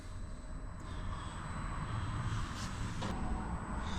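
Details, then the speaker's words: Cheap Chinese diesel heater in a Peugeot Boxer van, first start after installation with silencer exhaust out the side: quiet steady low air rush and even hum, air blowing out, no knocking, surging or rattles; normal running. "Let's turn her on for the first time. I've got wind blowing out. I would imagine wind sucking in."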